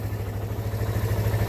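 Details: Suzuki Thunder 125 brought in as a no-start case with CDI, battery and new rectifier already swapped, idling before any repair: quick, even single-cylinder putt-putt with no misses or clatter; lights, kill switch and push start all work, healthy running.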